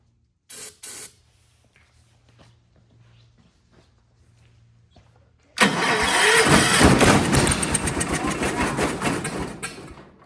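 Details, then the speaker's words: Old Kohler 4,500 W generator (guessed ~400–500 cc, likely 1,800 rpm) after points cleaning, on a temporary tank bypassing the faulty fuel pump: after a couple of cranks it fires into a loud, raw, rapid straight-piped bark with no muffler, shaking hard. "Holy cow. It shook so hard, dude. Yeah. All right. Well, it'll run. And it'll need a muffler. But at least we'll get to hear it straight piped for a little bit."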